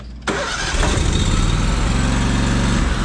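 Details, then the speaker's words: Brand-new Miller Bobcat 265 AirPak welder/generator, gasoline, zero hours: brief crank, then a quiet, even, steady idle with no misses or knocks. Normal start and idle. "so that's that's an idle right there"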